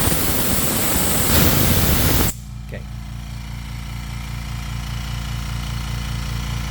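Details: Compressor starting after tank air released: loud hiss stops, then steady low drone with regular chug; normal running.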